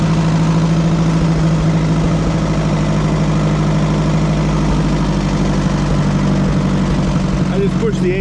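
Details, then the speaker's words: Oliver 550 tractor, engine fired right up before hydraulic pump replacement: deep, even idle with a steady low throb, no misses or knocks; normal idle. "Guess I shouldn't have doubted it. thing fired right up. I'm impressed."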